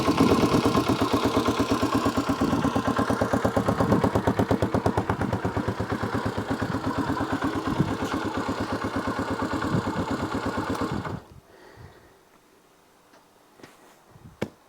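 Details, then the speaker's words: Honda XL250R single-cylinder idling after oil-leak repair with new battery: even thump with light valve tick and steady rhythm until shutdown, no more oil leaks; running cleanly. "Listen to that. She's just ticking. No more oil leaks."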